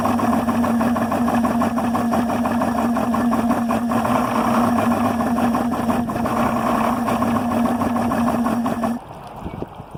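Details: Yamaha 300 HPDI outboard idling at 400–500 rpm: uneven stumbling pulse and steady drone, then it cuts out near the end; rough idle, cause unknown.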